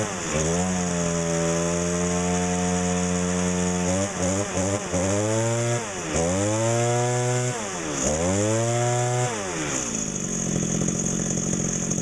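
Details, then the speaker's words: Mid-1990s Echo GT2000 two-stroke trimmer, warm start in about 90°F heat, replacement carb fitted about 2 months, sat outside 3 weeks: steady idle then four clean throttle blips without bogging or stalling; runs great. "Again, it's been sitting outside for 3 weeks or so. Runs great, and can't beat it."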